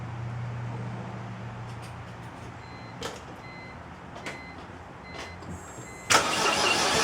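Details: 2004 BMW 325i started after CCV system, coolant hose and oil filter housing gasket replacement: engine idles unevenly with a lumpy, stumbling beat.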